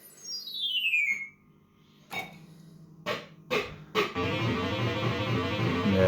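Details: System80 sound board: synth jingles start clean, then the tone slides downward and the notes turn rough and uneven. The sound output is failing intermittently; further investigation is needed.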